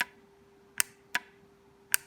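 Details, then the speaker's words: 2008 Cadillac Escalade ESV air suspension compressor after rebuild, with solder repairs and the solenoid piston cleaned and lubricated: four crisp, sharp clicks at uneven intervals as the solenoid snaps back and forth cleanly, working normally. "okay guys this is what uh that solenoid should sound like when it's working you can feel it clicking back and forth"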